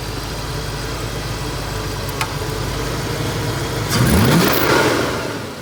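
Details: 1990 Ford Mustang crank-no-start, after base timing set and SPOUT connector refitted: idles evenly, picks up cleanly on a quick rev and falls back smoothly, no misses; now running healthy.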